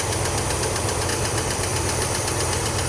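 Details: Old International Scout V8 left idling after the pushrod repair: busy, even idle with a steady low throb and no heavy knocking; ticking over normally.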